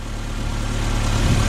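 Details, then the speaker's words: Mazda Miata MX-5 roadster after an engine flush and oil change from the wrong oil: petrol engine idles with a steady, low, even hum, the former lifter tick now gone. "it's so much quieter oh my gosh it literally doesn't tick anymore that is so cool"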